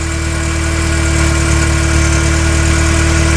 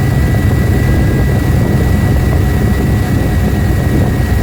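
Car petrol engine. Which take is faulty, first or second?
second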